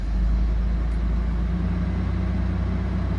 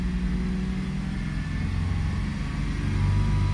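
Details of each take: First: 2002 Toyota 4Runner that starts then stalls, just after start-up before code scan: deep, lumpy idle with an uneven beat and occasional stumbles, running rough; multiple cylinder misfires. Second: 2002 Toyota 4Runner with a start-stall complaint, running in closed loop at 161°F coolant temperature: even, smooth idle that rises gently and settles steady with no stumble or miss.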